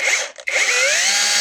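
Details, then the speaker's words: Parkside Performance 20V cordless drill from a lot of faulty tools, run on an old 2Ah battery; high whine cuts out briefly then spins back up with climbing pitch and rough buzz; runs but makes odd noises, needs a good overhaul. "cel il marche c'est étonnant il fait des bruits bizarres on tourner il aura besoin d'une bonne révision"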